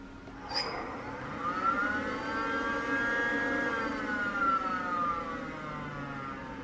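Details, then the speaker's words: BMW E36 328i, 5-speed, abandoned over five years; jumping relay terminals 30 and 87 in the relay slot thought to be the fuel pump's ran the secondary air pump instead. Smooth electric whir rises, holds steady, sags slightly; air pump runs fine. "okay that that's the secondary air pump sounds like that is not our fuel pump fuse what the hell I guess these got switched around"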